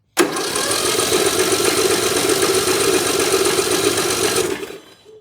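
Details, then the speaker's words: Bolens M762F lawn tractor, cranks but won't start, after valve lash set to 4 thou: fast even starter spin with no compression chug, zero on two gauges; no compression, later found to be a dislodged valve seat. "Still no compression. Nope, try a different gauge. Still zero compression."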